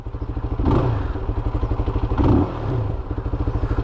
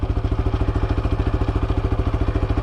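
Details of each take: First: Shineray SBM 250s single-cylinder motorcycle: rapid thumping swells with throttle blips, then the beat slows and idle speed drops after revving. The owner says it has happened a few times; cause unknown. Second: SBM250s motorcycle idling: fast, even light clatter over a steady thumping idle from the engine; normal lubrication noise that stops once oil circulates fully, maker says it is normal.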